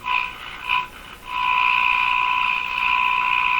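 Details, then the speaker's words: Mohawk Model 1240 five-tube radio with very poor performance: steady high test tone that wavers and breaks up instead of sounding pure; 60 or 120 cycle hum modulation suspected, not confirmed. "so your game is a garbled sound it doesn't sound like a pure tone it's it's garbled so that that suggests uh 60 Cycles or 120 Cycles"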